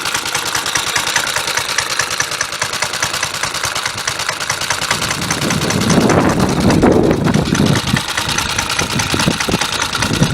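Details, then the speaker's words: Suffolk Punch 30S mower, warm, after air filter cleaning and carb adjustment: steady, even putter swelling briefly then settling, quiet through the muffler; running better, wind noise present. "There we go. Running pretty decently. It's quite quiet. The muffler's obviously quite good."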